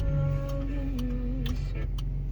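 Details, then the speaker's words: 2018 Chevy Colorado with key in makes sharp steady ticks about twice a second like a turn-signal relay though signals are off, continuing after switching off and opening the door; cause was dead key fob remote batteries, replacing them fixed it. "you can hear it it sounds like the turn signal's on but if you look it's not"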